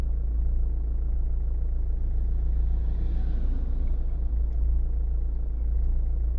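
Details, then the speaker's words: Renault/Dacia 1.5 dCi diesel after warming up: a steady, even, low idle clatter with no stumbles. The cold misfire from the faulty injector has cleared, with only a slight vibration left. Normal idle. "And actually it's ticking over now lovely."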